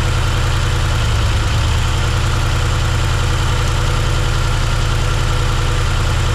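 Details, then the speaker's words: 1971 C10 V8 first start, cylinder three dead, lifters possibly misadjusted, later cylinders two, four and six found near zero compression: rough idle, uneven stumbling low beat about three times a second; low compression. "it's been a few days if you've seen whenever we were trying to fire this thing up we got it running but it's not running well"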